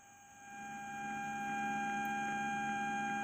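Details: Amplifier with Bluetooth module on 5 V supply: steady tone near 800 Hz with fainter higher tones over hiss; beep noise from the Bluetooth module's power supply.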